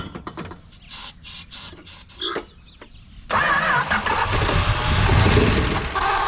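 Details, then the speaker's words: 1968 Plymouth Road Runner V8 parked 38 years: uneven bursts of cranking, then a longer steady churn. It turns over repeatedly but never catches. "Time After Time the car would not start so what's the plan the plan is to try to put the air filter on there see the difference"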